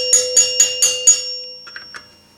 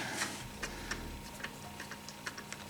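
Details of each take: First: 1974 Gottlieb Magnetron EM pinball, three-chime unit during rebuild: plunger nut overtightened, squashing the rubber, so five sharp strikes about four a second give a short, deadened ring instead of ringing out; loosening slightly restores ring. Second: 1974 Gottlieb Magnetron EM pinball three-chime unit after rebuild: crisp bell strikes with long clean sustain, no plunger clack since the plunger bounces off a seal; chime unit working properly.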